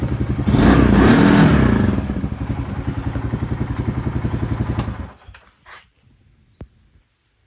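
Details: Polaris RZR 170 youth side-by-side after stator repair, on the jack, battery a little weak; previously hard to start: small single-cylinder engine firing evenly and revving cleanly with steady beat before shutting off; runs and restarts healthy.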